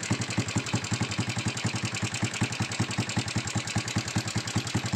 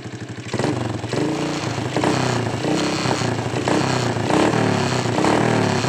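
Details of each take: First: Honda Supra X125 at idle before repair, owner complaint of loud ticking: fast, loose ticking clatter on every beat of an uneven idle; mechanic suspects a loose cam chain tensioner, which vibrates and may be internally damaged. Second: Honda Supra X125 restarted after repair and refitting its bolts: engine blips and settles with a clean, even beat and no sharp ticking, the earlier loud rattle gone and the valve train healthy.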